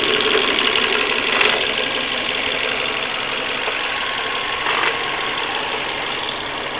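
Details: Volvo V40 1.6, engine warmed up by driving, running steadily: a busy, uneven rattle-tick riding on top. Abnormal engine noise when warm, cause unclear.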